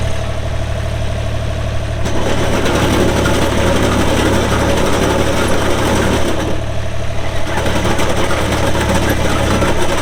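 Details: 2007 Ditch Witch RT40 trencher, 42 HP Deutz diesel (pre-emissions), 1,530 hours: diesel fires and settles into a steady, even idle with a low drone and light valve clatter, no knocks or misses; healthy running.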